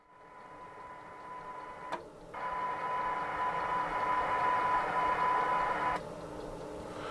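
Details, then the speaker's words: Repaired Sony Air 7 scanner after reassembly, tuned to air band around 133 MHz. Hiss and signal drop abruptly to quiet as the level falls below the auto squelch threshold; the squelch is working fine. "There's the auto squelch is cutting out. So yeah, working fine."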